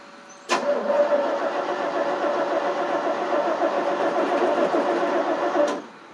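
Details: 1988 FMC 6000, 5-speed in neutral, on booster packs after a dead battery: steady starter churning about five seconds with no firing; cranks but won't start, later found not getting fuel to the carb.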